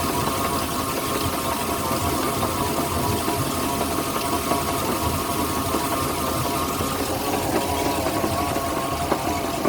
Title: 2008 Moomba Indmar 5.7 motor whining sound